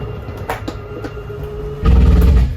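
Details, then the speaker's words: 2022 Jayco Jay Flight SLX8 295BHS travel trailer slide-out: steady motor hum, then a short heavy low gear-grinding rumble as the slide room reaches full extension; normal, it signals the slide is fully extended. "Because some people think, something's going wrong once they hear that little gear grinding noise. But it's completely normal. Lets me know you're fully extended."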